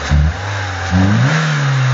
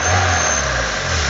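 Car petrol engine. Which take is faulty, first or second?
second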